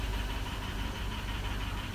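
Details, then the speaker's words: 2003 Chevrolet Avalanche 5.3L V8, which had been intermittently starting and shutting off; a wrong crank sensor had been fitted. After the problem was fixed, it holds a steady, even idle with a smooth rumble and no knocks or misses. "Now my car is running good."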